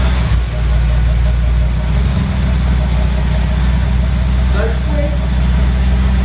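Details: Audi B7 RS4 supercharged V8 after oil cooler leak repair, oil top-up and belt refit, running about 15 minutes for leak check: deep steady rumble, even beat, no knocks, ticks or whine; no leaks found; normal idle.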